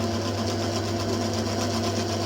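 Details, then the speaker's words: Lathe skimming the commutator of a BTH CA 4750 starter motor to remove pitting, about 5 thou taken off, now 36.24 mm: steady, even hum with light continuous cutting hiss, no chatter or rhythmic bumping; smooth cut. "That sounds better, doesn't it? Now that does look a lot better."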